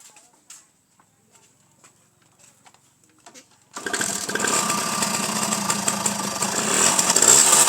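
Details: Two-stroke motorcycle after fixing leaking ignition/stator plate seal that caused unsteady, slow-dropping idle: after a few quiet seconds catches into a crisp, buzzy idle holding steady without hunting or hanging; idling properly.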